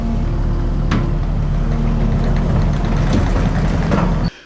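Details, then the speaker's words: Kubota track skid steer with squealing tracks worsening all winter: rumbles forward with steady low drone and no squeal while bucket pushes down lifting the front; gravel and ice between rollers suspected. "but what's interesting is when Don pushed down the bucket and raised the front of the skid steer she was sliding forward uh the squealing went away completely"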